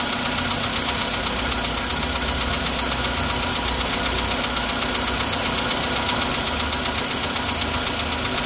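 Fast, fairly even knocking about two to three times a second over a busy idle on a cold engine; source not pinned down.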